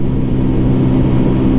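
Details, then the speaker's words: Keeway V Cruise 125 during break-in on the motorway: a steady engine drone with a faint humming tone from about 80 km/h, an odd noise or vibration whose source is not yet traced. "La verdad que en altas tiene un sonido o una vibración rara."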